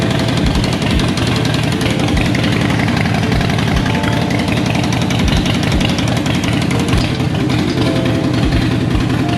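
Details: 2020 Harley-Davidson Roadster V-twin after new half-inch front header flange nuts, believed to have fixed an exhaust leak: deep, lumpy idle with an even exhaust beat and no rattle or sharp puffing, under background music.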